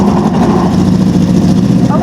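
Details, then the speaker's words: Newly bought track motorcycle that earlier had wet, flooded spark plugs: a lumpy, uneven idle with a hollow, stumbling beat. It is misfiring and running on only two or three cylinders; an intermittent ignition wiring issue is suspected. "only running on like 3 or maybe even 2, but it is running."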